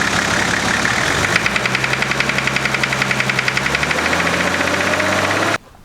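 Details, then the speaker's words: Nissan GQ Patrol diesel at idle: a sharp, regular knock about four times a second over the engine note; others suggested fuel knock, injector knock or big-end bearing. "a lot of people got back to me you know said it was a fuel knock injector knock big end bearing"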